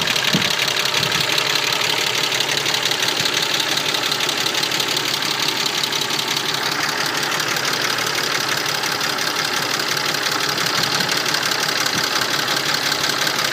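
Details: Mercedes-Benz M104.992 inline-six, hot idle: a fast, light, crisp high-pitched ticking across the valve cover as all 24 hydraulic lifters tick when warm but not cold. An oil change with quality oil fixed it.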